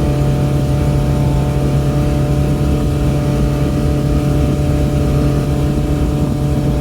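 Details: Boat V8 at wide-open throttle, trimmed up, about 5000 rpm and roughly 50-52 mph, mic behind the windshield: a deep, steady roar under water noise with no misfire, surge or knock.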